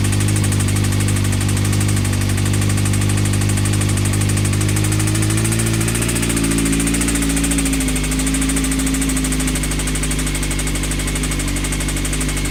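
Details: CBR engine at idle: a heavy, low, fairly even knock about three times a second, suspected bottom-end or rod bearings. Advice is to stop running it and check the rods for movement on the crank through the oil pan.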